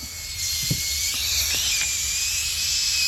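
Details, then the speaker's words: 1971 Johnson 25hp (25R71S) outboard gearcase under pressure test: steady sharp hiss of escaping air with a few faint taps, leaking at a loose gearcase screw missing its O-ring. "so I wonder wonder if they just didn't put any O-rings in there oh yeah it's just loose"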